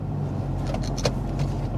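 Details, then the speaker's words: 2000 Toyota Camry four-cylinder, about 112,663 miles, idling after a cylinder 4 and random misfire was fixed: steady, even low hum with no skipped beats; misfire counters read 0. "And here we can see the Misfire counters. They're at 0."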